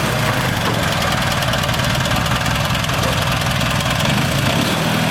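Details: Mini dune-buggy utility vehicle after new fuel shutoff and fuel line: even, rapid firing pulses at steady idle with no skips, knocks or rattles; starts and runs smoothly.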